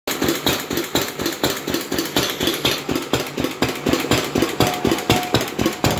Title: 4 hp R.A Lister Jr type "B" first run after rebuild (2018)